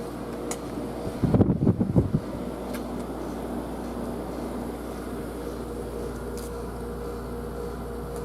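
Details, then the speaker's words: New mini split heat pump air conditioner cooling a garage, outdoor unit on a wall bracket: a low, steady airflow hum with no rattles or rubbing, very quiet. Normal outdoor fan operation. "And here's the fan. It's pretty quiet, actually. You can barely hear the thing. Very quiet. Doesn't make a doesn't make a whole lot of noise, I'll tell you"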